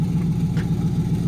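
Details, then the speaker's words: Dodge 360 Magnum V8 truck with glass packs and leaks everywhere before new eBay catback: loud raspy idle with lumpy chuffing pulse from the pipes; exhaust leaks. "Anyways, this is what it sounds like. It's got glass packs and stuff on it. Got leaks everywhere."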